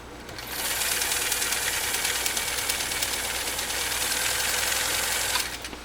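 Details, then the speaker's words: Kenmore 158.904 sewing machine, 1.2 amp, straight stitching U.S. Army grade canvas, not in a case or table, sitting on a workbench: fast even whirring at about four stitches a second, starting and stopping cleanly; runs really quiet and smooth. "runs really, really quiet and really smooth. I really like it a lot."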